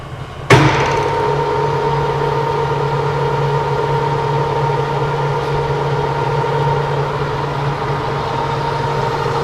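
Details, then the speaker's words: Monarch CK12 lathe spindle at 377 rpm after clutch engagement: sharp clutch clunk, then smooth, even hum with steady gear tone, no knocks or rumble; nice quiet machine, normal running. "okay this is 377 it's a nice quiet machine"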